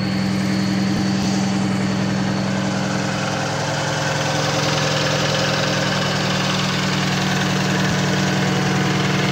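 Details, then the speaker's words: Cummins diesel truck idling while warming up: steady idle with a light rhythmic clack about three or four a second from the air compressor; normal, nothing wrong. "Lynn, you don't know what a good truck sounds like in. That's a good old Cummins air compressor for"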